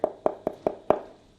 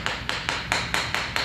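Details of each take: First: Tile laid over concrete and self-leveler, tapped: five light taps about a fifth of a second apart with a hollow, papery knock, showing a void under the tile. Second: Floor tile tapped a couple of weeks after Fix A Floor was injected beneath it to cure a hollow sound; crisp, sharp taps about four a second dying quickly with no drummy ring, tile now solidly bonded, no hollow spot.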